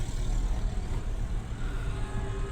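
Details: Renault Kwid with check engine light blinking, low pickup and poor mileage: low, lumpy stumbling engine note with slow revving; misfire, head overhaul and new piston rings planned.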